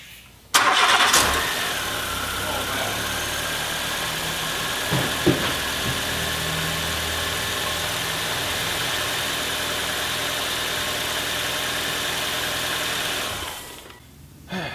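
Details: Nissan Cube CR14DE at about 125,000 km, previously stalling on start with rough idle after sitting four weeks; after fitting a replaced part, steady, even, smooth idle with no stumbles or misses; normal idle.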